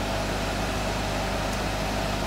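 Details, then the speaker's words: Electric motor driving a compressor, test run after fitting new shaft bearings: steady even hum with constant tone, no knocking, grinding or rumble; fan noise only, bearing noise gone, repair successful. "the well the fan is making a lot of sound but there is absolutely no bearing sound now compared to the old bearings this is extremely silent so I would call this a successful repair"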